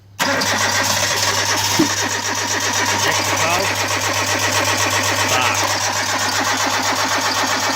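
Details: Hyundai Getz first start in the morning, cold; starter churns steadily for several seconds without catching; owner checking immobiliser light and fuel pressure; extended crank, no start, cause unconfirmed.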